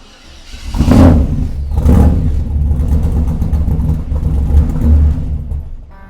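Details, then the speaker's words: 1948 Mercury pickup, first start in 50+ years, running on gas poured in because no fuel is reaching it: cranks and catches with a couple of rough revs, runs unevenly, then fades and stalls. Owner suspects it might be gummed up. "All right, I just poured the last little bit of gas down there. See if we can get it running for a few seconds. You guys can hear the exhaust. However, I think the car might be gummed up."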